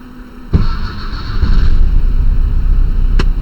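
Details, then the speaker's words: 1968 VW Type 3 with original fuel injection, hot restart after fixing its hard cold start. A brief crank, an immediate catch, then a steady even idle; runs well with power: normal hot restart. "Perfect. Ran good, has the power."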